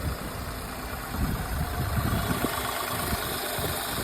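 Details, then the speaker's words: Car after a misfire repair (tappets set, fuel injectors cleaned, fuel pipe replaced): steady, even idle with a settled low hum and no stumbles or missed beats; normal idle. "और गाड़ी हमारी आ रही perfect हो चुकी है और हमने fuel का इसका पाइप भी रिप्लेस कर दिया है।"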